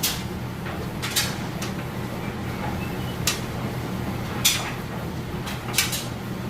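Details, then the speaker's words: Kenmore electric dryer on timed dry, high heat, with a heavy jeans and towels load: soft steady drum hum with clothes tumbling about once a second, no thumping, scraping or off-balance banging; normal dryer operation. "you can see it's got nice smooth operation it sounds great of course you can hear the clothes done going around in there"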